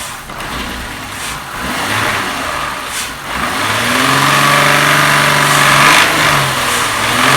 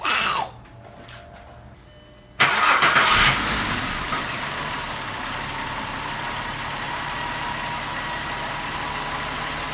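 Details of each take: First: 2001 VW Jetta MK4 12-valve VR6, warm, revved before repair: sharp, uneven clacks worst around certain rpm, with hesitation on throttle, caused by a worn intake manifold shift rod. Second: 2001 VW Jetta 12-valve VR6, first start after intake manifold shift rod replacement, cold: starter whirs briefly, engine catches and flares, then settles into a steady, even idle with no clacking.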